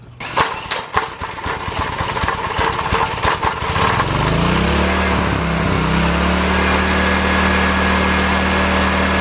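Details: Old Honda 4-stroke generator from the trash, after ignition gap fix and governor spring slackened to set voltage; rapid pull-start chuffing catches, then settles into a steady even hum at constant speed, normal running.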